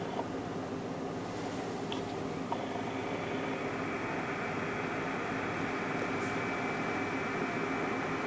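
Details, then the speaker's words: Stock AMD CPU cooler on Athlon 200GE, ASRock B450 Mini ITX, under medium load: thin steady high-pitched whine over soft fan rush at constant pitch; cooler cools adequately, but the fan whine is annoying. "There's a pitch to it that I just really don't like. The cooler itself actually doesn't do too bad a job."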